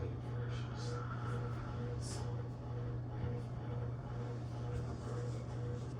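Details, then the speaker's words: Hunter Mill Valley ceiling fan with AC motor, pull-chain control, running on high: steady low hum with a soft rhythmic buzz pulsing about once a second; owner suspects the light kit is loose. "Definitely sounds like the light kit might be a little loose. That's why we're getting that buzzing. It's rhythmic."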